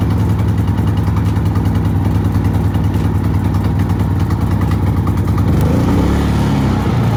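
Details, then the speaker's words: New Predator 3500 watt generator, first startup after unboxing and adding oil and fuel: started really easily, single-cylinder engine chugging at a steady fast beat, even and unlabored with no knocks, running normally. "there we have it i don't know how well you can hear it running but um it started really easily"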